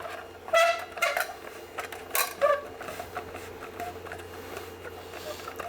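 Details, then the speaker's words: Winding wire through a coil form while building a Tesla coil; a few sharp squeaky chirps in bursts as the wire is pulled through, meaning the wire is binding or sticking in the form. "You hear that? That's a bind. You hear it again. Anytime you hear that, it's a bind or it's a stuck."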